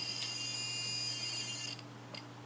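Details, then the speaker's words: Scale model motor grader dozer-blade servo at 6 V drawing 0.2 A while holding the blade's weight: steady high-pitched buzz with a low hum underneath. "And you can also hear the annoying buzzing sound of the servo."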